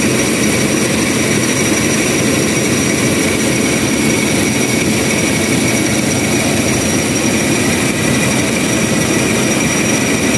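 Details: Toyota Revo idling with aircon switched on: steady high-pitched squeak over even idle; accessory belt squeal.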